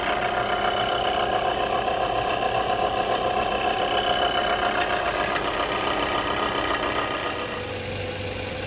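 A steady high whine sits over an even idle for several seconds, then fades; sounds like a failing alternator. Cause suspected, not confirmed.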